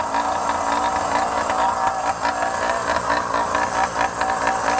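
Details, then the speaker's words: Phantom 85 two-stroke motorized bicycle, warmed up: buzzing idle with pitch wavering and hunting instead of holding steady; no longer stalling as easily but idle unstable, cause not identified. "See, now that it's warmed up, it's not stalling as easily, but you hear how it's not as steady of an idle? That's not good."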